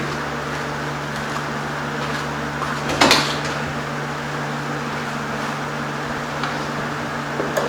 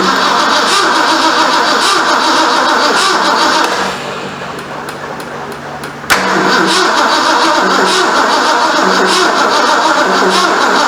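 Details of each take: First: 1973 Ford Mach 1 Mustang V8, back running after months off, almost out of gas, exhaust leak repaired: steady low idle hum with no puffing or hissing, one brief clunk; exhaust now sealed and quiet. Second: 1973 Ford Mustang Mach 1, 351 Cleveland, 4-speed, first start after engine reinstall and months sitting; steady cranking about four beats a second with pauses, never catches. Owner suspects an unplaced coil hot wire; unconfirmed.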